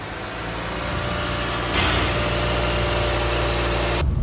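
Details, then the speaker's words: Lexus NX with a K114F CVT, about 100,000 km, after CVT repair for a droning bearing noise while driving: steady, even running with only the usual low engine note and no hum or whine from the transmission. "вариатор отремонтировали теперь порядок без"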